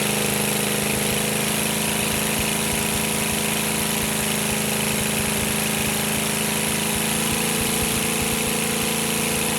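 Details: GEP/Navistar 6.5 diesel, rebuilt (Scat crank, 30 over, moly pistons), Stanadyne DB2831-4911 pump, on a stand with cooling water reduced to warm it toward 180°F, good oil pressure: steady even clatter with a constant low drone, no misses or knocks; normal warm idle.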